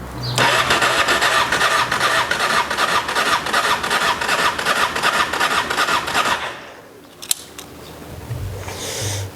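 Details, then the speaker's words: Honda XRV750 Africa Twin carbureted, stored 10 years, fresh gas, choke on: starter churns steadily about six seconds at roughly two and a half turns per second but never catches; fuel pump not powered, later found to be a corroded fuse. "Was hoping on getting this thing to run, but apparently the wire that goes from the fuel pump to whatever over there is just not getting power. So it's not pushing the fuel to the fuel pump, or the fuel pump is not pumping out."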